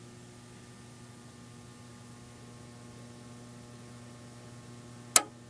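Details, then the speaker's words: Radionics D7022 fire alarm control panel's plug-in transformer hums loudly: steady low mains hum with buzzy overtone and one sharp relay click near the end; nearby heatsink sometimes gets very hot for no clear reason. "yeah you can hear this transformer humming obnoxiously on for some reason that heatsink right there right behind that caster gets really hot sometimes just for no reason"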